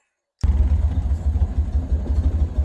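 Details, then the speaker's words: Ford Model A (1930) with newly rebuilt Zenith carburetor, idle screw backed off from slightly high: slow, even low putter with steady firing pulses, no misses or knocks; idling smoothly. "So, the idle is a little high. So, what we're going to do is take our screwdriver and back it off a little bit. And that sounds pretty good to me."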